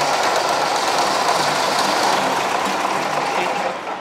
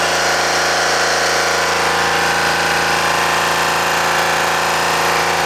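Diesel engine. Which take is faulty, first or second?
first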